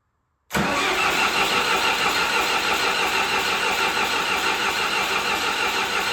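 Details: John Deere 450C bulldozer diesel, sat about 6 months, reassembled, in neutral with a little throttle: steady cranking churn, about three turns a second, never firing. Air in lines suspected.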